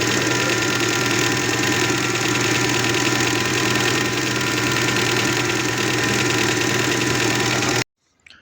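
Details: Gazelle Next (ГАЗель Next) engine after the work is finished and everything reconnected: steady, even idle with a constant hum and no irregular knocks before switch-off; engine running normally.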